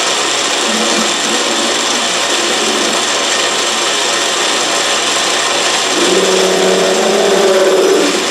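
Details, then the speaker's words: Autobox 8x16 mini lathe facing cut: steady scraping hiss with faint wavering squeal near the end; tool bit set below center, leaving a nub in the center; owner also doubts the cutter choice and angle, cut not smooth. "Well, still got the little nub in the center, so I'm still not high enough."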